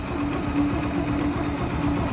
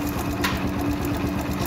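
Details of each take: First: Yamaha YBR125 single-cylinder motorcycle idling evenly with a steady low hum, no timing chain rattle on top after the chain tensioner was pushed in with a screwdriver until it clicked. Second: Yamaha YBR/YB125Z motorcycle idling with a fast, light, sewing-machine-like clatter from a slack timing chain, before pushing the tensioner in until it clicks.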